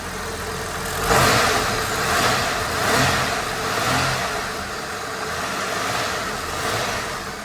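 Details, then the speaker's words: Holden WH Statesman L67 V6 with M90 supercharger, after repairing rattle from a faulty coupling and refilling the supercharger oil: a smooth idle with clean rev blips and no rattle under the whine. Repair judged fixed. "Moment of Truth to see if it's fixed well it already sounds better"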